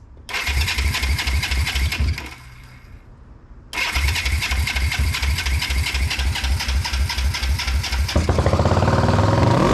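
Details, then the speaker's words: 1981 Yamaha XS400 Special twin after carburetor float rework, first start: catches and immediately roars at high revs, never settling to idle; throttle was stuck pinned wide open. "Not supposed to happen. The choke is Oh, the throttle is stuck. It was just pinned. Well, it fired up."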